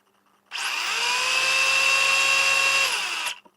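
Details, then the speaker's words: 1/10th scale RC touring car on the bench, motor spinning up to a steady, high, gritty whine; the drivetrain gears are rough after a weekend race, wheel shows no vibration. "noise you hear is my gears, which are a bit rough at the moment because of the race that happened on the weekend."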